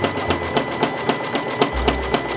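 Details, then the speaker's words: Sewing machine doing a stationary zigzag in place (candlewicking-style crystal) with flat silver opal thread: a fast, even needle rhythm, then a dull thump enters as the thread builds up enough; normal thread build-up thumping. "when you see it's got enough and you hear it start thumping because it's going through a lot it's built up"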